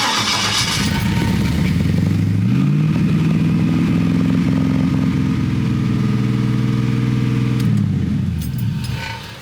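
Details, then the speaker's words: LS-swapped Chevrolet S10 after installing a new sensor; catches and climbs to a fast, steady, smooth idle well above normal, owner wonders if the new sensor is learning. High idle. "That idled really high. Wonder if that's the new sensor trying to learn."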